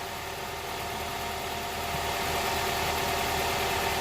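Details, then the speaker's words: Honda Prelude SH idling after about ten minutes of running, following oil cooler/adapter gasket replacement for an oil leak; steady, even idle, smooth consistent beat, no knocks, ticks or misses; no leak seen, looks fixed. "bring you back here again it's been running for like what ten minutes"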